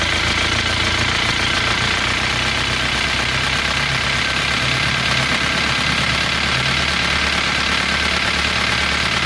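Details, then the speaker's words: Worn-piston knock in a Panther Touring matic diesel that overheats and loses coolant: rough, rattly idle with a dull knock from used pistons slapping the new cylinder liners. "Jadi suara mesin yang asar itu diakibatkan oleh suara knoking dari ketukan seher terhadap dinding silinder atau liner."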